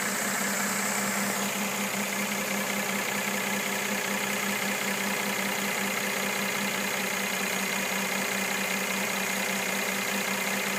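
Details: New 2013 Mercedes E350 W at steady idle: a faint, regular ticking knock two to three times a second over a hissy background, cause unknown.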